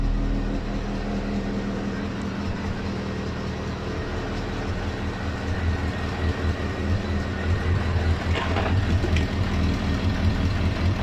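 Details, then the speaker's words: MGF 1.8 K-series engine at idle before repair: soft rhythmic chuff about twice a second under the exhaust note from a severely leaking exhaust manifold gasket. "So first of all, let's quickly fire up and hopefully you'll be able to hear the chuffing from the exhaust manifold gasket."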